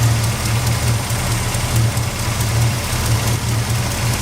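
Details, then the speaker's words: AC compressor running at idle on a dually truck after installing the compressor and charging with computer duster; steady low hum with faint irregular knock underneath; owner unsure whether abnormal, vents about 59–60°F, dropping toward 50 when revved. "sweating you can hear that compressor but I don't know if that's abnormal what I say I'm no AC expert"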